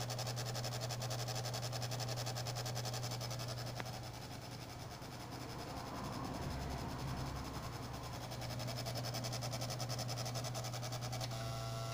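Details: PlayStation 2 Fat console making an odd noise. A steady low hum carries a fast, fairly even ticking at three to four ticks a second, suggesting something rubbing or catching.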